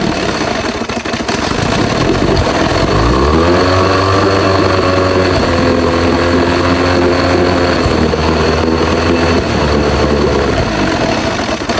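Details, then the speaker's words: Old Evinrude outboard, stored for years, first run on a test tank: catches and runs with a wavering, uneven drone, keeps dying without choke and won't take throttle; owner suspects the carburetor. "Alright, well, unfortunately on this old motor, I put it on the test tank and it didn't really want to run great without any choke. It kept wanting to die out and it just didn't want to take any throttle. So I'm assuming that's something to do with the carburetor"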